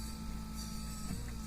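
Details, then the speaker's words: 1987 Mercedes-Benz 560SEL auxiliary heater coolant pump: after a few minutes pulsing stops and it gives a flat, unchanging low hum like when supply line is blocked, and heater output drops; pump fault suspected, unconfirmed. "after it runs for a few minutes it seems like it stops pulsating like that and we get a steady hum kind of like we get if I block off the supply line it gets like that and then the heat diminishes in the heater again"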